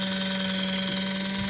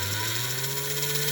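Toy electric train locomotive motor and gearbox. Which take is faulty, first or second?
second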